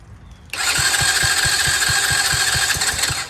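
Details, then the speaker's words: Free Chinese Tao Tao 125cc ATV quad with new carburetor, ignition switch, stator and pickup, safety switches bypassed, on choke, unprimed, about an eighth inch of fuel: starter cranks at about three and a half even beats a second but never catches; hard starting, seems to need throttle. "ooh wanted to turn over so seems like needs some throttle should I give it some throttle even on [Music] choke"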